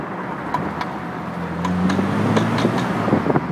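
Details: BMW E30 325/316: scattered sharp clunks over rising engine drone as the car pulls away under full throttle, none when cruising, sometimes over bumps; knocking under acceleration, source not found.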